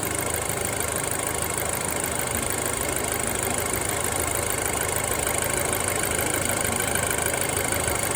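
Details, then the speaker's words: Audi A4 B7 at full hot idle, oil pressure gauge fluctuating between 12 and 20 psi; owner suspects low oil pressure, though it has always idled this way. A dull, diesel-like clatter ticks about twice a second and the engine shakes slightly. Engine clatter at idle. "I mean, the engine's shaking a little bit. Sounds like it's running like a diesel sort of."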